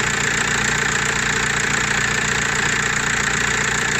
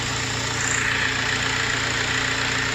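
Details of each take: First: Audi/VW-group car (Audi A4 B7, Golf 4/5, Seat or Skoda) at steady, even idle with a smooth mid-pitched hum and no knocks or squeals, after the noisy alternator was repaired; engine sounds healthy. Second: Engine idling with a steady high whine that does not pulse with firing; cause traced to the alternator, which was repaired.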